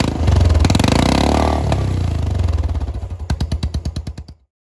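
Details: Royal Enfield Classic 350 single-cylinder with muffler and heat shield removed, startup recorded about 1 foot away: loud, sharp thumps about three per second slowing to separate pops before stopping; open exhaust without silencer.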